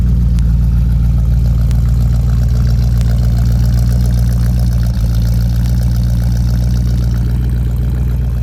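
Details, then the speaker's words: 1969 Chrysler Newport big-block V8 with glass-pack exhaust (pipes one year old), just started: deep, even lopey burble at steady idle, no misses, knocks or ticks; healthy idle. "Okay, now we'll start it up. You can see what it sounds like. See, it idles nice and smooth."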